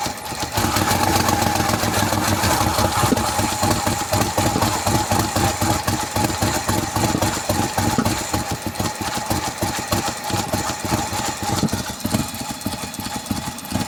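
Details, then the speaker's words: 2003 Mercedes-Benz W211 E240 V6, just after a hard start, idling: uneven, stumbling idle with irregular pulses about three to four a second and shaky beat; random multiple-cylinder misfire, fuel pressure measured at 45. "All right, this is a Mercedes-Benz W211 chassis having a rough idling and sort of million problems it got from last 3 years."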